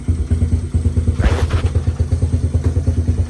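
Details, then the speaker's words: Honda Fatcat engine not run in about a year, after carb cleaning, fresh gas and new plug, still cold with choke off: slow lumpy thumping idle with uneven beats; rough cold idle without choke. "But it's still kind of cold, and the choke is not on right now, so give it like a quarter of a turn. That should make it happy."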